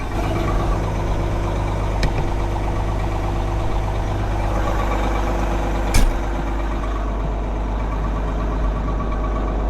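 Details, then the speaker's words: Caterpillar 18M3 motor grader diesel after a real cold start, with transmission and hydraulic temperatures below zero and engine oil low. Steady, even low rumble with no knocks or misses while it warms at idle. Normal diesel idle. "And it actually fired up like it had been sitting in a garage."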